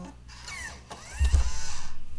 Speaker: so the ejection thing works